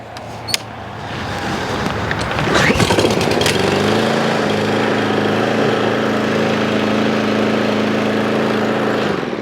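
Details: Craftsman M270 mower, 159cc electric-start engine, after no-start repair: pull-start rattle, then the engine catches and settles into a steady, even drone with no stumbling; running properly.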